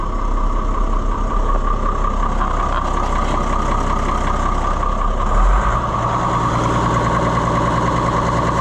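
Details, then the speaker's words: AGCO 9650 tractor diesel after belt replacement, blower and AC compressor running, heard from the cab: steady, even idle, no knocks or rattles; normal idle, compressor problem usually appears only after a long run. "We got blower. We have air conditioner compressor running."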